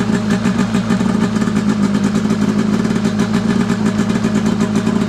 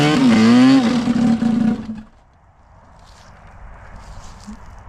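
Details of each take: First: Arctic Cat F7 two-stroke snowmobile on stand after draining bad fuel and refilling with fresh mixed gas (oil confirmed in fuel), after it earlier died: fast even crackle holding steady, no misfires, bogging or rattles; runs clean and crisp. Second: Arctic Cat F7 two-stroke snowmobile on a stand, warming up after a year or two away, on questionable fuel: pitch sags and wavers, bogging right down, then dies after two seconds; lean running suspected, fuel then drained and replaced.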